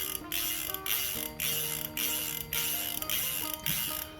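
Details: Bando Saviro 10000M fishing reel spool with newly replaced clicker: crisp ratcheting clicks in bursts about twice a second as the spool turns, even and sharp; normal clicker operation.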